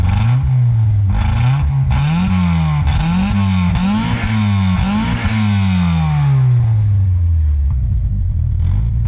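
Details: Miata kart, unstarted for almost a year, wide-open cold start on a full tank: engine screams near redline from start-up, surging without throttle; cause found to be a vacuum leak.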